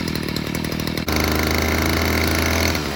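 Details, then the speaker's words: Stihl FS55R string trimmer after carburetor repair, cold start on choke then warming up: steady buzzing, picks up cleanly on throttle blip, more responsive; low-side fuel adjusted slightly, running good. "we're going to find out today if we've got this thing fixed or not that's on choke go ahead and let it warm up for a minute"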